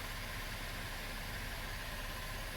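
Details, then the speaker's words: 2012 Chevy Impala at warm idle about three months after upper intake and intake valve cleaning and fuel injector and harness replacement: a quiet, even low rumble with no stumbles. Zero misfires, running smoothly. "and zero misfires. You can hear it now. Smooth as butter."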